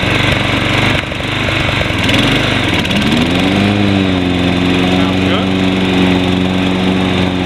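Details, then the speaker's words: Toro Personal Pace 20333 Spin Stop mower, 190cc Briggs & Stratton, sold as non-running, starting after cleanup: settles into a steady even run, tone dipping and recovering as the blade engages; healthy. "And let's see if it'll start after cleaning it up. Here we go. There we go."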